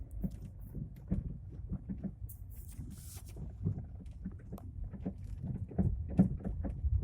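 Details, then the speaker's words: Lada Vesta, 152,000 km: irregular dull thuds, a couple per second, from the front suspension while driving deliberately over rough road to make it louder; severe front-suspension knock, cause unknown to the owner. "В передней части ходовой появился страшный стук. И не могу понять, что это."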